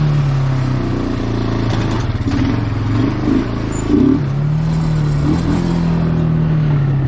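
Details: Bayou 220 ATV, sat for 8 years, on a test ride with a helmet camera; the single-cylinder thump climbs and drops cleanly through each gear change without hesitation. All gears work, no bogging. Normal running.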